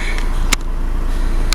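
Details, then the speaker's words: Camper van engine running now that the Victron is working: low, even chugging with a steady beat and no knocks or misses; healthy idle. "She's quite happy just chugging along, and that is because the Vitron is now working."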